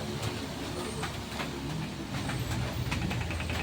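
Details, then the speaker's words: Camel electric stand fan that won't oscillate: uneven clicks and rattles over steady fan whir as the head swings briefly then stops; fault in the oscillation gearbox. "oh ' ba lumalagitik o tak k maganon so yan Tingan niyo muna in number one natin siya mga kair o o Maingay ba lumalagitik gumaganon"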